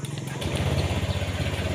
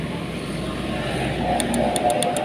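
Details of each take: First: Honda Vario 150 after repairing a no-start fault (starter only clicked, burnt ECM socket, contacts cleaned and refitted); the engine catches at once on the starter and settles into an even low idle. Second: Honda Vario 150 that won't start: quick, sharp relay clicks about eight per second heard at the relay with no starter spin, traced to a burnt ECM connector.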